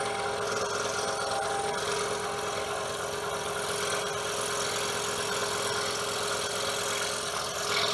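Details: DeWalt scroll saw after repair with blue Loctite, speed setting about 5 (about 1171 strokes per minute), No. 2 crown-tooth blade cutting wood: even rapid rasping cut with no knock; saw runs smooth, quiet and properly aligned.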